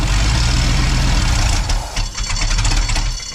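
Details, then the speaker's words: 1990 Ford F250, 351 5.8 V8 junkyard build, cold morning: starter cranks at about four pulses a second but engine never catches; Schrader valve on the fuel rail shows no fuel pressure. "See, we got any fuel pressure? Nope. No fuel pressure."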